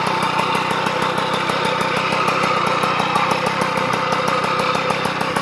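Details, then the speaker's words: 1989 Magnum Racing ceramic white moped, two-stroke engine idling: dry, rattly rumble with regular light ticking from noisy, worn crankshaft bearings, partly masking the exhaust note. "voilà donc on entend bien le les roulements c'est bruillanti"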